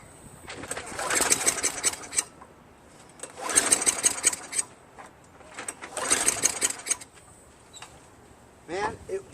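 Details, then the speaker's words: Craftsman 5.5 HP Tecumseh 22-inch self-propelled mower after carburetor rebuild, spark confirmed present: three bursts of pull-cord cranking with a faint puff but no catch; owner suspects weak spark or fuel; cranks but will not start. "but it seems like the it's not getting enough spark or something to or fuel"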